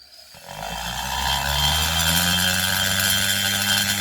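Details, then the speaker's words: Porting a McCulloch Pro Mac 850 cylinder with a high-speed rotary tool: at lower speed the cut turns rough, buzzy and chattery, smoothing out when faster; rotary burr chatter at low speed. "can you can you guys hear the difference when i use a lower speed listen it becomes more chattery"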